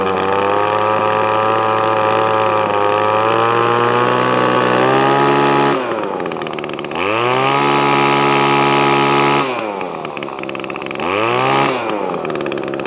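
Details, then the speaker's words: Echo ES2400 leaf blower two-stroke on a replacement HIPA copy carburetor (high-speed mixture screw only): high buzz revving up and sagging unevenly, hunting when throttle moves; carburetor out of tune. "so it does need a bit of a tune"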